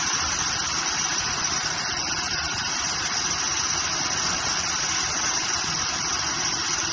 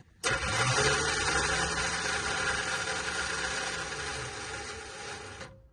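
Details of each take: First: Cheap Chevy squarebody truck engine on a temporary fuel feed after it would not draw its own fuel supply: steady, even running under heavy hiss, no misses or stumbles, catching and holding idle; fuel pump confirmed working. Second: Cheap Chevy squarebody truck started from a jump pack: the starter isn't engaging, and its high whir keeps spinning about five seconds after the key is off, then winds down. Some kind of short is suspected.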